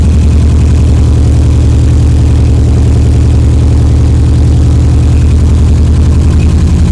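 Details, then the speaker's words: Subaru EJ22T with DOHC head swap and RobTune EJ20G ECU, first start after MSD coil wiring mix-up: lumpy idle with a regular stumble, one cylinder misfiring, low vacuum, hissing heard on right side; cylinder not yet identified. "no it's definitely working is just misfiring for another reason yeah we got to figure out which cylinder it is"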